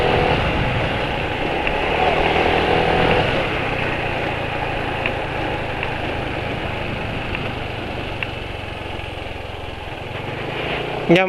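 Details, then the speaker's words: Motorcycle idling on Evalube Molytec oil, owner says engine already feels rough soon after setting off: steady idle with a gravelly, uneven edge and faint irregular ticking; running rough, owner plans an oil change. "menurut penulis Itu suaranya Udah kasar jadi penulis rencana ganti nyaris begitu saja"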